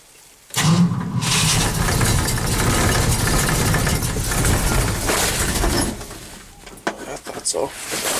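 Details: Cold start after overnight low of -11 and 0 degrees at start: long steady starter cranking with no catch, then cutting out and a few short tries; owner thinks he flooded it and suspects a weak battery; cranks but won't start.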